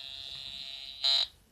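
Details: Pirat homemade metal detector powered from a battery after fixing the hum issue: steady high clean threshold tone followed by a short sharp signal beep, no buzzing; normal metal detector tone.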